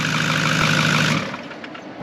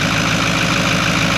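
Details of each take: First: Cheap 6.4 Powerstroke diesel truck on its first start after purchase: a smooth, steady idle with an even hum and no knocking or misfire. It runs good and sounds like a good motor. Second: Cheap 6.4 Powerstroke diesel truck bought as a gamble, first start: a steady idle with a rushing, hissy whistle over the clatter. The unexplained sound is suspected to be the main turbos but unconfirmed; the engine otherwise seems good.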